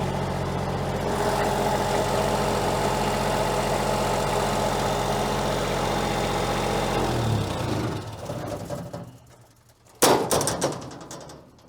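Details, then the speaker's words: Diesel-powered unit at an equipment auction, described as very quiet and running super nice; only two of its four lights work. Steady, even diesel idle with a smooth beat and no knocks or misses before shutdown: normal idle. "I'll tell you what this unit is very quiet I like that about it"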